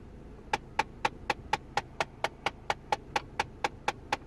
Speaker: what happens when I press this little button right here you know that circulates the air in the car watch what happens